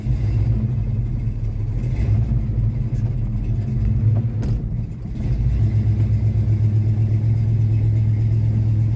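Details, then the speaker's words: Formerly seized Chevy 327 V8 (two stuck cylinders freed, new rings) idling in the car with the choke off, just over 30 psi oil pressure: steady, even low rumble with no knocks or misses; running smoothly. "Look at that. Just over 30 psi at idle. It's pretty good."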